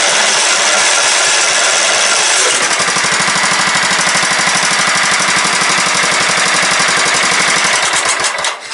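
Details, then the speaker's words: Late-90s Craftsman LT 1000 mower with a 15.5hp Kohler Command OHV single-cylinder engine, running with the coil kill wire pulled: it chuffs unevenly at about three beats a second, then fades and dies. The cause is unclear. "oh it's just dying because it's dying"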